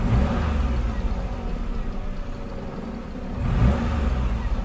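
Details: Car with unstable, hunting idle speed after a replacement aftermarket ISC actuator was fitted: steady idle, one smooth rise in revs on the throttle, then drops back and settles evenly; healthy rev response, fault fixed.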